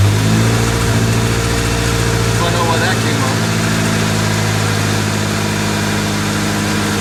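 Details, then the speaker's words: 1998 Honda Civic 1.6L, first run after engine replacement, distributor reconnected, some exhaust noise expected: steady even idle hum, no knocks or misses, a little exhaust noise; running pretty good. "Distributor's reconnected. Remember, there may be a bit of noise because of this exhaust."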